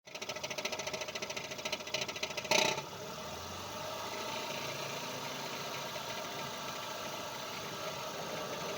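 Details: Mazda RX8 torque converter knock: quick metallic knocking, several raps a second for a few seconds, then settling to a quiet hum.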